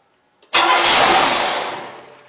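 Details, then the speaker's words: 1994 Buick 3.8 (OBD-1), towed in: starts, revs up and shuts off; catches, flares briefly, dies within two seconds. Mass air flow sensor or metering problem first suspected; found to be unmetered air (vacuum leak). "And then when he went out to start it, just starts up, revs up and shuts off. Leaning towards a mass air flow sensor or some kind of metering problem."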